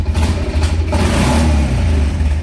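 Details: 2001 Kawasaki Prairie 400 ATV, about 7,000 miles, clutch somewhat loose and a little noisy, being revved while checking for blue smoke: steady low drone swelling and settling with throttle, smooth, no knocks; healthy engine revving.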